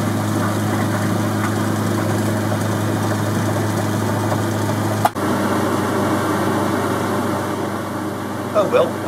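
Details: Boxford lathe cabinet drive unit after replacing pulley spindle bearings and drive belt, belt not yet worn in, midway speed: smooth, even low hum with no knock, whine or rumble; runs healthy.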